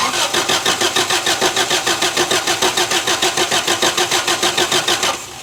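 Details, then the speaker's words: 1983 Toyota 4x4 pickup, 22R 4-cylinder, sat at least 10 years: even cranking around 200 compressions a minute for five seconds, never catches; fuel pump delivers nothing and no spark, pump to be replaced. "nothing absolutely nothing fuel pump is bad as well as not getting spark so we got a few things we need to figure out"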